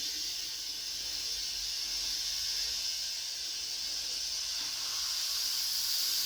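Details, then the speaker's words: Tire being inflated on a wheel whose bead was cleaned with a wire brush: steady loud high hiss of air rushing out all around the rim; bead not seated and leaking, may need better cleaning. "you can hear it leaking all the way around the bead which I cleaned it with wire brush but it might need some better cleaning for"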